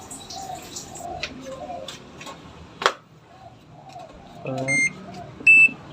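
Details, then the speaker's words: Sanyo top-loading washing machine that had error E2, after its water level sensor was replaced. On power-up there are two short clean beeps with no repeating alarm and no error code returns. Normal power-on beeps. "Setelah kita ganti water levelnya, sekarang kita hidupkan pada powernya. Sudah tidak muncul kode error lagi ya."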